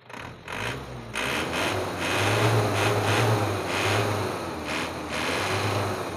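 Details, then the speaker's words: 1997 Isuzu Panther 2.5 diesel with Bosch injection pump after adjusting the regulating valve: revs cleanly on throttle and settles smoothly, even light dry note, no knock or misfire; engine feels light. "Ini ringan sekali ya, ringan sekali teman-teman, ringan sama kering ya."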